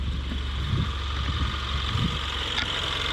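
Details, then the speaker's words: Ford Mustang EcoBoost after swapping Accel plugs for factory plugs: smooth, even idle, steady low hum, no stumble, revs rise cleanly, exhaust quieter; normal idle, Accel plugs believed the misfire cause. "And I mean, it sounds good. RPMs go up, no problem. It's not breaking up anything."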